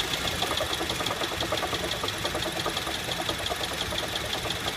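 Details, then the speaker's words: 2008 Honda Civic: sharp light ticking knock about twice a second over steady idle, starts at startup, more noticeable on light revs, worst at idle; failing AC compressor bearing, not engine, later seized, compressor replaced. "Normally starts as soon as I turn car on Light revs will make it more noticeable, then when I stop putting gas it gets horrible once it comes to idling RPMs this is the worst I have heard it"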